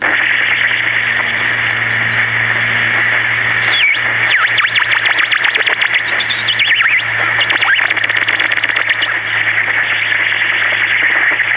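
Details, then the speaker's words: Pocket transistor radio, presumably a 1960s Major, with tin transistors: steady hiss with whistles sweeping up and down, a badly noisy, distorted, squealing AM reception; a bad AVC capacitor is suspected, not confirmed. "thing's almost just kind of cool the way it is maybe just feed this into a PA system and just let it go this thing is just I don't think I've ever heard a radio perform like this"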